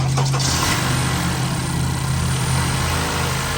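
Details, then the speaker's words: 2017 Honda Accord direct-injection engine, revved from idle: a fast, uneven rattling buzz, and the high pressure fuel line vibrates each time it is gassed. It seems to come from the dash but comes from the engine; the mechanical high pressure fuel pump is bad. "You can see the line is doing vibration. It's this line right here that's causing the noise right there. So the line right here is making that vibration. It's like every time you gas it. So the high pressure fuel pump is bad."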